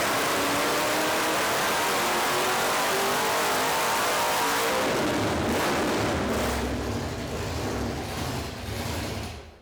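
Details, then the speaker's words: 1970 Dodge Super Bee with a 440 big-block V8, started after a blower swap with a throttle-body spacer and 25% more throttle opening: the supercharged V8 fires, roars up strong and even, then settles; runs clean and healthy. "There we go, boys. It's finally working. That's some steam. I got bad news for you, Mr. Burger. So yeah, she's happy."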